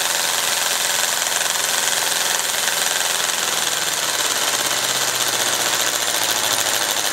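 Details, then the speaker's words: Compressed-air model V8 (3/8 in bore x 7/16 in stroke, magnesium crankcase, ball-valve ports, temporary flywheel) at a speed likened to an idling 1950s V8: a fast, even hissing exhaust chatter with no knocks or stumbles; it runs well. "favorite speed because it actually sounds to me kind of like an idling v8 from the 1950s"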